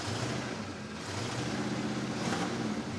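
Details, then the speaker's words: 1981 GM square-body truck, 350 V8 on propane, 5-speed, tilt deck, just started on a makeshift battery connection: deep, even V8 rumble with background hiss, no knocking or ticking. Normal revving; clutch throw-out bearing fork raised as a possible problem afterward. "That actually sounds pretty race, I think."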